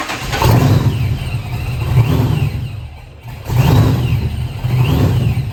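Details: 1991 Mustang 5.0 LX with a Vortech V-1 supercharger on a high-mileage stock shortblock, started after a failed fuel line was fixed: it catches and settles, and light blips drop back cleanly. Normal idle.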